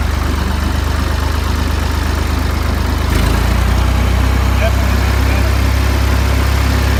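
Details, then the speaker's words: Ford 2000 diesel tractor running on Diesel Purge to clean bad injectors, at varying rpm: steady, even diesel clatter with a firm low beat and no misses or knocks; after the purge the idle sounds about normal. "Bueller which comes back and dribbling back in the definitely much better I would say that's probably about normal"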